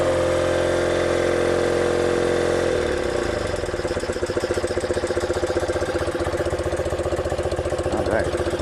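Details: 1976 BMW R90S 900cc during carburetor sync, bushings done and one cylinder's ring replaced: drops from a fast steady hum to an even, loping idle with regular beats and no knocks or misfires; healthy.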